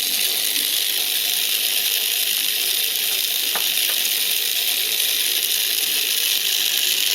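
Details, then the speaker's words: Tiny 1.5 V hobby-kit brushed motor overdriven at 32 V, drawing about 1.8 to 2 A: thin, high, hissing whir with a steady shrill tone, speeding up as it burns and gets hot, with a burning smell. "Jesus. Ooh, this thing's making heat."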